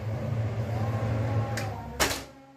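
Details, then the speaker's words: Newly installed exhaust fan on a plywood frame with its own switch, running normally: steady low hum, then a click as it is switched off; quieter when blowing outward, louder when reversed to blow inward. "ini ngebulnya keluar suaranya agak pelan tapi kalau ngebulnya ke dalam lebih kenceng suaranya"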